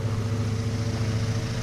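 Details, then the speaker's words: 1932 Emerson 12-inch desk fan model 29646 after rewiring: low steady mains hum with even whooshing and no ticking or scraping; motor runs smoothly, rewiring successful. "I am very happy right now. Rewiring was successful. I am very happy with that."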